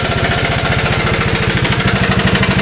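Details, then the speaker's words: 1982 Honda ATC185 after carburetor replaced to cure a vacuum leak, briefly on choke: rapid, even single-cylinder firing, idles slow, no popping on throttle, misses or stumbles; normal running. "see the way it idles nice and slow so there she is right when you uh when you gun it and so forth there's no puffing of"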